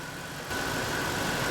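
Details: 1997 Ford F-150 4.6L V8, about 90 miles after clearing code P0402 and cleaning the EVR filter, previously low poor idle: steady, even idle with smooth low rumble, no misses, ticks or hunting; normal idle.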